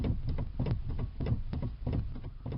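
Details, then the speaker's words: 2008 Ford Escape, key off, heard near the steering shaft rubber boot: repeated dull clunks and pops at irregular intervals, steering loose after a quarter turn; worn steering shaft U-joint. "It's very obvious that's where the noise is coming from."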